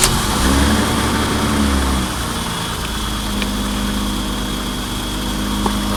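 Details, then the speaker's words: Roughly 40-year-old car; engine catches and settles to idle with a thin steady high whine throughout, fuel pump working hard and overheating itself, pump under the seat not yet inspected; whining noise at start-up. "you can hear the fuel pump kind of going crazy there but um yeah radio stuff works"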